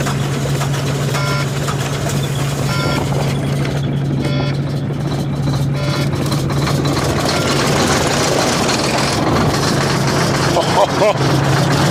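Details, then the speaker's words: Old Volvo diesel cold start at about 2 degrees, frozen up: steady low drone with uneven, lumpy note just after firing; rough cold idle, cause not identified. "Nevertheless, the old Volvo, she didn't let me down. She fired up. Hateful sounding, boys. Hateful sounding."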